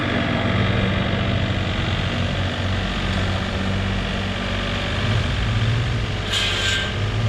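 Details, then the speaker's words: Chevrolet S10 that had sat unmoved for a while, started at the shop: rough, uneven, lopsided idle as if one cylinder drops out; the engine misfires and is said to run on five cylinders. "I've seen it it runs on five cylinders"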